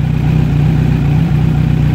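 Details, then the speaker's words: Kawasaki Z900 idling on the side stand, mic at the left side of the engine, after switching from 5W-40 oil that gave cam and rocker ticking: even, steady low thrum with no tick or clatter; normal idle. "Mình nổ máy như các bạn nghe Hồi nãy á thì nó không có kêu"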